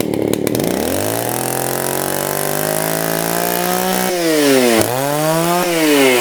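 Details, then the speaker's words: STIHL 041AV chainsaw, abandoned about 20 years: buzz climbs smoothly to a high scream, dips and recovers when blipped while the top high-speed mixture screw is adjusted. "turn like that. And that should make it rev just the way it should."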